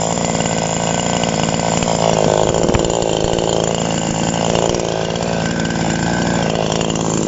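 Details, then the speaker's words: TOMITSU 5800-body chainsaw, sprocket version, no load: strong, steady high-pitched two-stroke buzz held at high revs with no misfires or surging; normal free revving. "เดี๋ยวชาวบ้านเขาจะรำคาญนะครับเนาะเพราะว่าเสียงเครื่องเ่ามันสิดังมากๆนะครับ"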